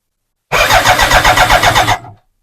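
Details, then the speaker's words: BMW K100 motorcycle after fitting a new fuel pump in the tank: starter churns briefly at a steady pulsing rate but the engine never fires and still no pump whine is heard; fuel pump not running, cranks but won't start, cause now unknown. "still hear no fuel pump all right maybe it wasn't the fuel pump maybe it was something else this is not great"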